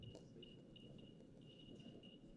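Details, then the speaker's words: Geiger counter held near a uranium sample: irregular high-pitched beeps, several a second with random gaps, in a quiet room; normal response to radioactive decay. "now I have uranium all right yes I have uranium so do we think that this will make it go beep beep beep yes it will"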